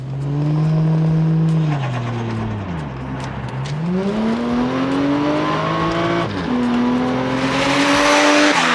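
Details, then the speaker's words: Toyota Chaser JZX100 with 1JZ engine and 4-speed A340E automatic: brief pop or fart on each upshift as the note drops sharply with a burble; owner thinks it runs a little rich and the engine cuts ignition between shifts. "For some reason, this thing has like a torque reduction fart on the shift. The owner, Will, seems to think that because it runs a little rich, the engine cuts ignition between the shifts, but it sounds cool."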